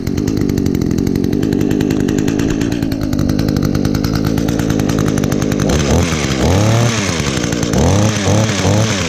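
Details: 2010 Echo HC 150 hedge trimmer, carburetor had previously failed, probably unused since late spring, started on choke with primes: steady high idle, revs up and drops back cleanly several times with no stumble; normal running.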